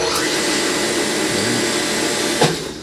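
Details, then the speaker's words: Repaired motor pump after a leaking part seeping oil was replaced, tested as pump 2 on manual start: an even hum at steady pitch with no rattle, squeal or surging, then a clean cutoff; it runs normally. "Okay na po. Gumana na po siya."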